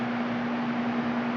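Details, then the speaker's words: Four fans on high powered by a 400-watt inverter from a battery: a steady, even whoosh with a clean, constant hum and no stutter or labouring; the inverter carries the load fine, though bigger inverters run them better. Normal fan operation on inverter power. "And they run good with the 400 watt inverter. Of course the bigger ones run it better. You can even turn it on up to high once they get going."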